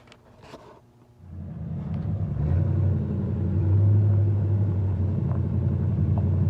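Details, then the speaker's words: 1969 Chevy C10 that sat 20 years, now back together with a rebuilt carburetor, before a test drive. It catches and settles into a deep, even rumble with no knocks, misses or ticks. "It's 69 altogether and running, ready to go on a test drive."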